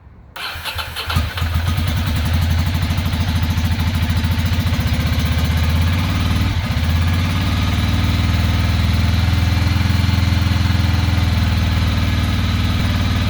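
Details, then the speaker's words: 2006 Ducati Monster 800 with a new fuel pump: catches and idles lumpy and uneven. The front cylinder is not firing and only the rear is getting hot; owner suspects a clogged injector and will swap injectors to test. "front cylinder is not firing only the back one's getting hot so we probably have a clogged injector"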